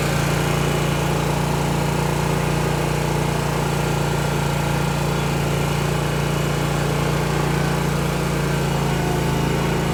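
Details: Zero-turn mower test drive right after replacing the hydro belt: small engine holds a steady, even drone with no knocks, slips or squeals; sounds healthy and smooth.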